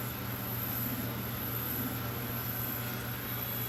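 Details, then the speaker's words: Sony TCD5M portable cassette recorder, drive motor running after a wire extension fixed its no-turn-on; smooth constant low hum with faint high whine, good torque driving the idler and take-up hub, original kinked belt still in place. "So we turn it on and we've got lots of torque here. And it's driving the drive idler, which is turning the take-up hub."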